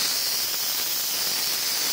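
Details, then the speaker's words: Truck (the 143, V8, water got into the engine) air tanks being drained: steady sharp hiss of air with a light spitting edge as a little water comes out; normal reservoir blow-down. "já estamos até esgotando aqui os bujão um pouquinho de água ele sai tá vendo"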